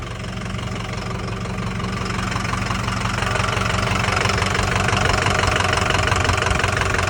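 Diesel idling with a fairly regular knock about three times a second riding over the clatter, a deep tapping from the engine.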